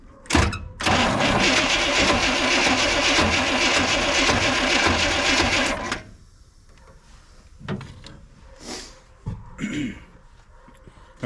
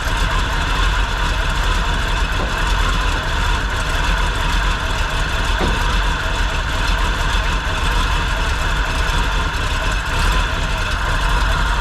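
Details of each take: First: 1957 Chevy Sedan Delivery on a 4x4 Chevy truck frame, 454 big-block with SM465 transmission and NP205 transfer case, first crank on a remote starter after sitting: harsh, uneven rasping while turning over, owner suspects bad flywheel teeth. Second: 1957 Chevy 4x4 sedan delivery with a big-block Chevy V8, first run: a deep, even idle with a steady gear whine from the gear-drive timing set. It runs and idles well, and the accelerator pump works.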